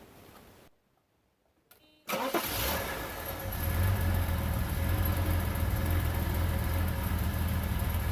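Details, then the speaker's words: Bitter SC (SC 377), Bosch L-Jetronic, with the coolant temperature sensor plug pulled (infinite resistance) as a test. Cranks, catches and settles into an uneven, loping idle with a wavering beat: it runs rough. "but it's running rough"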